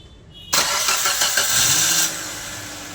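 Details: Accident-damaged Maruti Suzuki Baleno push-start car with damaged BCM and no start, started by feeding current directly to the starter solenoid's small wire; brief starter whirr, catches within about 1.5 seconds and settles to a steady idle.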